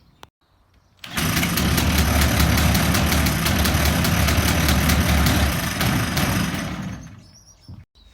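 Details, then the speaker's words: Two-cylinder two-stroke longtail mud motor with SPS kit, cranked by a Makita drill without using the decompression lever: catches after a brief crank and runs steady at a fast, even buzz before dying away; starts and runs fine. "well the makita starts without even doing a decompression lever it's just going"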